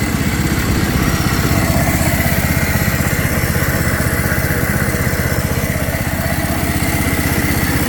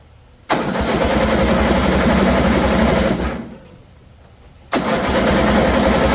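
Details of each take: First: 2007 John Deere Z225 zero-turn single-cylinder engine after carburetor and head-gasket repair: a steady, even putter at fast idle with no misses or knocks. The smoke cleared and it ran fine. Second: 2007 John Deere Z225 zero-turn mower, after a fouled spark plug was replaced with a new Champion and still rubbing: two long cranking spells, about four strokes a second, that never catch. Flooded; owner reports oil spitting, so valve issues or a blown head gasket are suspected.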